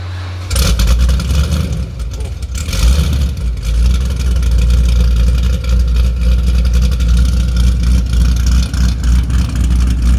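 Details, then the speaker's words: 416 stroker LS3 Camaro with a Brian Tooley Racing Stage 4 cam at first startup, injectors checked and looking good: a deep, lumpy rumble rises cleanly on each throttle blip and fires evenly without misses. The V8 runs strong and healthy. "freaking thing sounds good man"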